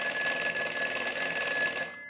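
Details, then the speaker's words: Northern Electric Galion rotary desk telephone after repair, ringer driven by an analyzer ring cycle during final checkout: fast, even bell clatter stopping cleanly, ringing normally. "we're going to go ahead and use the analyzer and we're going to send a ring cycle so we'll start that we're going to let that go a few times"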